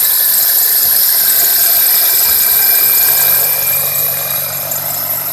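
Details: 2001 Toyota Corolla first cold start of the day on damp mornings: sharp high chirping squeal over idle, easing slightly, from the left side, also on light throttle from a stop; belt or tensioner suspected.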